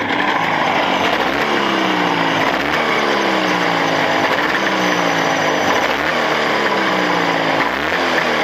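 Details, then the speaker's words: Engine break-in at +40°C on machined Chinese cylinders: steady, even buzz with pitch rising and falling with throttle, no knocks or rattles; connecting rod ends, pistons, pins and needle bearings all fine, a good sign. "Между прочим, звуков не слышно никаких. Вот. Так что это хороший признак."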